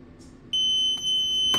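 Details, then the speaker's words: RFID cabinet lock (part RFID-2B-B, black) running on two AA batteries, after its reset button is pressed: a short chirp, then one long steady high beep of about a second. Normal reset tone; the next card touched becomes the manager card. "so that just reset the lock now the first card you touch the lock after you hit the reset button becomes the manager card"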